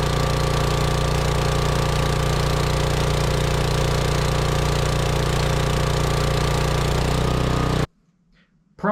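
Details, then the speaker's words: Lincoln Weldanpower AC/DC welder-generator with a 16 hp Briggs & Stratton engine, sat outside three years, running at high idle: a steady drone that cuts out abruptly with no sputter. Fuel starvation. "I had it running and it would it would run a fine it would pick up the high a little and then it would act as if it was starving from Fuel and it would shut itself off"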